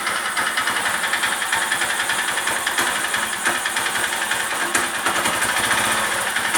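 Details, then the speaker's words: Honda Titan single-cylinder motorcycle idling with a busy rattling clatter; engine suddenly became noisy, won't take throttle and stalls; cause unknown to owner. "não sei porque o motor fazendo muito barulho quem puder da opinião e já passou por isso e agradeço"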